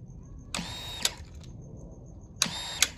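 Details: Honda CRF450RL with no-start, fuel pump suspected; after jamming a broken piece back in, key on: two short high-pitched electric whirs about two seconds apart, each cut off with a click; pump primes normally, that was the fault.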